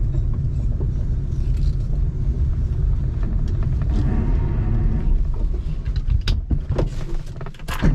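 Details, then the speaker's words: Classic Mini John Cooper conversion with twin SU carbs on its first drive: a deep, steady rumble falters and breaks into scattered knocks as the engine cuts out; owner thinks fouled plugs. "Not a good start, is it? Why is it cut out?"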